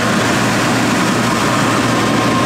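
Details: 16,000 BTU marine air conditioner on a sailboat, test run on the lithium battery bank and 3000 W Victron inverter: constant low hum with a steady mid-pitched tone, no rattles or surging; running normally.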